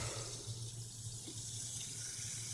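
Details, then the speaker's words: BMW M57 diesel just installed, first key-on before starting, gearbox in neutral, heater on maximum to bleed the system: low steady hum of the electric coolant pump under gurgling coolant pushing air out; pump running normally. "заработал насос системы охлаждения. Сейчас он нам прогонит воздух, по идее, по системе должен прогнать."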